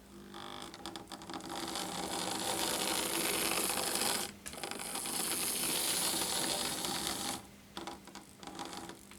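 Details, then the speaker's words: Lima model locomotive on track test after replacing its gear with a 3D-printed one, refitted in the chassis: fast, even gear whirr rising and falling as it runs, smooth meshing, no clicks or binding; normal gear drive. "sounds alright so I might do I might give it some a bit of a run around here"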